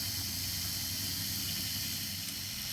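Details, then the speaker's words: Hornby R879 Mallard model locomotive after repair and re-commissioning, run for a while on the controller: steady soft hiss and light whirr with no knocks or surges, powering along quietly and responsively. "so there we go rather wonderfully been running for quite a while now and you can hear that is just powering Away really quite quietly as well and it's responsive"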